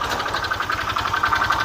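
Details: 2011 Honda Vario Techno scooter at idle: quick, uneven rattly tick riding over the engine, an odd noise thought to come from the CVT area, not yet confirmed.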